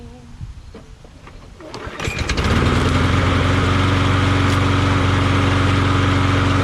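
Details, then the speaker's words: Craftsman push mower after swapping its knocking Tecumseh 6.75 Vector engine for a Briggs Quantum: pull-start, engine catches and settles into a steady, even run with no knock or miss; sounds healthy. "Now that's what I'm talking about. Now I feel good about it. Now this engine runs smooth and quiet and nice, you know."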